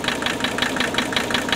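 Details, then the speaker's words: 1981 Mercedes 300TD, OM617 diesel, cylinder cut-out test: sharp metallic knocks about six per second. Only cylinder one changed the sound, and the knock persists when revved. Source not isolated; bad injector or piston slap possible. "Still knocking. All right, let's go back to number one. That was the only one that was promising. Okay, now I'm going to race it up a little bit. Now, knock still there."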